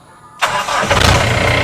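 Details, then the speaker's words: Diesel car started after cleaning its EGR valve, which had been sticking, possibly from water and rust. It catches at once and settles into an even, steady clatter, though the owner says the car is somewhat noisy. Normal engine start. "kita Nyalakan dulu mobilnya Ya siap sebenarnya mobilnya agak berisikan teman-teman ya"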